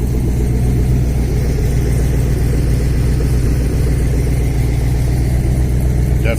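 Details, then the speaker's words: Chevrolet Colorado with swapped V8, first start with partial exhaust (welded Y-pipe, Magnaflow muffler, no tailpipe, no manifold gaskets): deep steady idle with a light quick puffing tick around 220 a minute; exhaust leaks at the manifolds or Y-pipe. "yeah definitely have a little bit of a little bit of some exhaust leaks but that's okay we'll uh we'll get that fixed"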